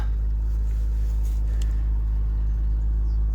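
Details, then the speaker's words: 2004 MG ZT-T+ 180 V6 after a specialist replaced unplugged ignition coils to cure a misfire: steady, even low idle with no stumbles and no engine management light; running smoothly. "we'll do the engine start it even sounds more urgent sounds amazing no engine management light"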